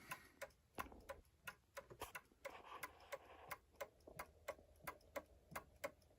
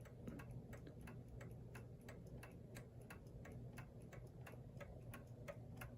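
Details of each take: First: New Haven Clock Company Horace pendulum clock, movement running after about 42 years since last oiling; steady ticking at about 88 beats per minute with unevenly spaced tick and tock, out of beat after one side was lifted. Fix is bending the pendulum hanger. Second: New Haven Clock Company Horace model pendulum clock, movement about 42 years since last oiling, pallet clean: crisp ticks about three per second with equal tick-tock spacing; clock running in beat.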